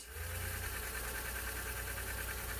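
Steady, even whirring with a low motor hum and no hitches or slowing; the tape transport spools smoothly at fast-forward.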